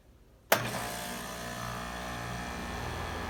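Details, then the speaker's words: 2013 4-ton heat pump with Copeland scroll compressor, cool mode startup: silence then abrupt clean start into steady even hum and fan rush, no clatter or screech, normal startup. "Okay, so this is gonna be a startup and shutdown of my old neighbor's 2013 4-ton Wing Classic in cool mode."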